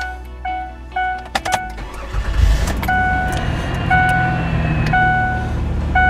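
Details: Car after starter replacement: quick crank catches cleanly and settles into a steady idle while a dash chime repeats; normal start after fixing clicking no-start.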